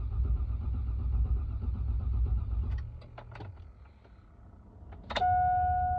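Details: 2002 GMC Yukon: steady starter cranking for nearly three seconds without catching, then it drops off and a warning chime sounds; crank but no start, cause not confirmed.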